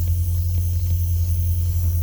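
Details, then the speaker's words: Holden VX Calais running, faint airy hiss over a deep steady engine hum that changes when a hose behind the dash is pulled; vacuum leak in lines causing climate control air only to windscreen vents. "when I pull on this hose you can hear a difference in the vacuum leak"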